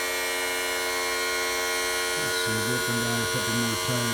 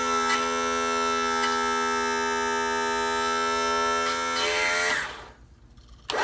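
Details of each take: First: 1986 Mercury 35 hp outboard power tilt/trim, three-wire trim motor after cleaning stuck brushes and refilling: steady motor whine turning to pulsing, warbling gulps; air still in the hydraulic system, more fluid to be added. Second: 1986 35 hp Mercury outboard tilt/trim motor after cleaning stuck, dirty brushes and bleeding the system: steady electric whine winds down, pauses about a second, then spins back up cleanly, working normally.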